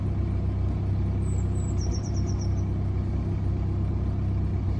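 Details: BMW 1 Series N47 diesel, cold start: uneven lumpy low thrum pulsing about three times a second, rough idle; bird chirping outside.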